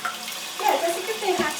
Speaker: you guys say the valve is fine yeah a lot of them will leak down like that when they fill up